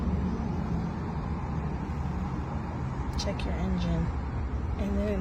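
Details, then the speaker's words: Toyota Tundra truck, slow to start and stalling, reduced engine power warning: engine idles low and uneven with a lumpy, shaking beat under street noise; rough running, cause not pinned down. "shaking. Reduce engine power. It's shaking like crap."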